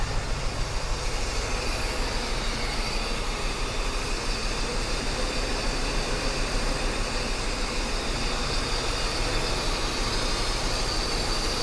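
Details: Mercedes 560SEL idling after new spark plugs and wires: uneven, lumpy beat over a steady low rumble, with shaking at stops; the rough idle persists and its cause is still not found.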